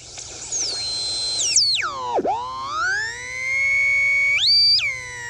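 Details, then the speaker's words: Late-1940s/early-1950s Ford (Zenith) 6-volt AM tube car radio after fitting a correct 7B8 pentagrid converter tube; a clean whistle swoops low then climbs and holds high as the dial is tuned. Converter oscillator working, while the audio output tube is shorting. "so that's the signal from that converter transistor running i mean that converter tube running the pentagrid 7b8"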